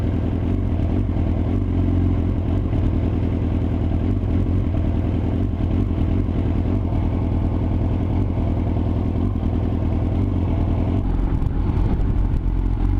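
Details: Yamaha R6 misfiring at low rpm: the exhaust beat stumbles with uneven pulses. Cause found: ignition coils not pressed fully down. Once they were reseated properly, it ran perfectly.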